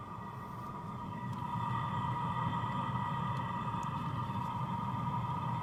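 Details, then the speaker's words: New BougeRV diesel heater, warmed up and running without an exhaust muffler, drawing about 100 W at startup: a steady, even rush and low rumble from the exhaust with no diesel pump ticking; normal running. "So, all you can hear is the exhaust. There's no uh diesel pump ticking at all. And I think that noise on that exhaust would be much quieter with the muffler on there."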